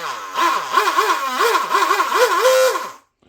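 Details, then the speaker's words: DIY Shrimp rigger RC boat on the bench after a new Teflon liner and motor realignment, following a smoky run; whine rising and falling with throttle blips, no grinding or scraping; driveline now spins freely without getting hot. "Okay, well, it sounds good now. It feels good. And it is not binding that much anymore because if I give a little bit throttle, it starts to spin already."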